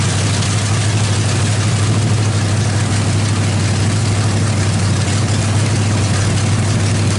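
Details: Freshly built Chevy 350 small-block with Thumper cam, open headers, valve adjustment while running: loud deep steady rumble, even firing, no knocks or ticks; sounds healthy, timing may need slight adjustment.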